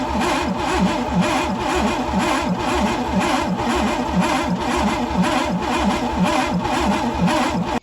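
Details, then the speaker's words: Pontiac Fiero GT, non-running and previously locked up: steady cranking at roughly one beat per second with occasional uneven pops blowing out the intake. It has spark but won't catch; swapped spark plug wires or stuck-open intake valves are suspected. "So looking back, it's blowing out the intake, which tells me that either a spark plug switched or there are a couple intake valves stuck open."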